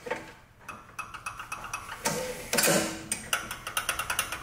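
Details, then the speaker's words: Briggs lawn mower engine that loses power and shuts off, now won't start, turned over with the valve cover off: sharp, even clicks about six a second from the compression release working. "Hear it clicking? That's the compressor release."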